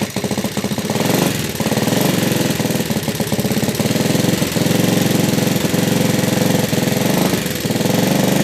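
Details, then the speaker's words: Yamaha Vega ZR motorcycle, smoking: fast, loud clattering like a sewing machine over a rough idle; top-end mechanical clatter, cause unknown before engine teardown. "Vega ZR, suaranya hancur kayak suara mesin jahit dan berasap."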